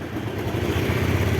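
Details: 2005 Mio Sporty 5TL scooter right after electric start: the small engine putters at an even, quick idle with no misses, rattles or knocks, and no smoke. Sounds healthy.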